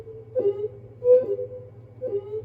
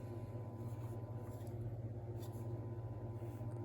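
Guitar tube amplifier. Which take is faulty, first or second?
second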